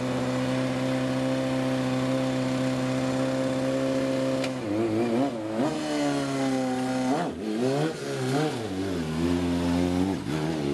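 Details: 2010 Kawasaki ZX6 four-cylinder sport bike before repair: even idle, then repeated throttle blips with knocking from a worn rod bearing.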